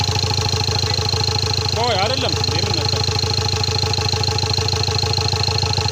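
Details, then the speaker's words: Ford Ranger TDCi diesel after engine rebuild, run without coolant for a minute or two, radiator not yet fitted: steady even idle clatter, no shake or stumble; engine smooth and healthy. Normal idle. "በጣም አሪፍ ነው። አይንቀጠቀጥም፣ ምንም አይልም። በጣም ቆንጆ ነው ሞተሩ።"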